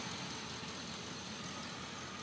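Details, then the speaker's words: 2003 Chevy Avalanche 5.3 V8 after replacing injectors on cylinders 2 and 7 to fix a P0300 random misfire: steady, smooth, even idle with no stumbles; misfire counter shows none, one O2 sensor still unplugged. "well i've changed both injectors on the two and seven and as you can tell it's running smooth it sounds good"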